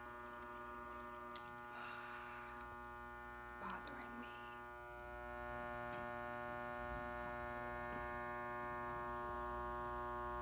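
A constant, steady electrical buzz fills the quiet room without wavering, the typical mains hum of fluorescent lights.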